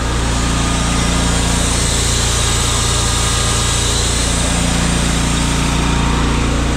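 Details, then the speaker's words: Brand-new Miller Bobcat 265 AirPak welder/generator, engine running with its screw air compressor switched on and pumping. Steady, even drone under load, no knocks or surging; normal running under compressor load. "That's it man so if you want to hit the air to it you just hit this and it'll come on so it's pumping"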